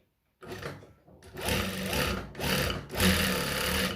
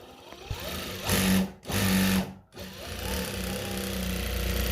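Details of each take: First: Nah, ini mesinnya ini berisik banget ini nih. Jadi ini memang banyak yang longgar ya. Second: Noisy, loose treadle sewing machine after tightening; several short runs with a clean, steady whir rising and falling with the treadle, no growl or rattle; runs smoothly.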